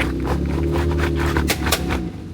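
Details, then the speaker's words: 2015 Jeep Grand Cherokee WK2 with MP3023 (QT2) transfer case: sharp snaps and pops over a low drivetrain drone while moving; owner suspects a stretched transfer case chain, possibly a failed rear differential. "yeah I don't like that sound and if your wk2 is making that same sound I'm sure you don't like it either and it's more than likely the transfer case chain"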